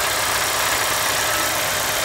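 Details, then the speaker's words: GM Corsa after service, old leaks cleaned and resealed with silicone, coolant level still slightly high: quiet, even idle with soft hiss and faint light injector ticking, no knocks or misfires; the only audible sound is the injectors pulsing; engine healthy. "Tá funcionando aí sereninho. A única coisa que dá para ouvir é os injetores pulsando."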